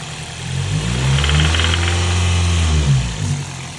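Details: 2003 Toyota Celica GT 5-speed, 1ZZ-FE DOHC 16V petrol engine idling with a deep rumble and a faint, fairly regular knock about four a second; cause unknown.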